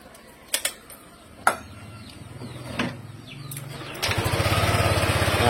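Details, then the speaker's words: Yamaha Aerox scooter after replacing the faulty rr part (earlier suspicion confirmed) that caused a rattling noise from the front of the engine at certain RPM: clicks, then engine starts and settles into a smooth, even idle, no ticking. "suaranya Udah halus ya Jadi kemarin Berarti udah benar prediksinya Nah jadi si rrnya yang rusak"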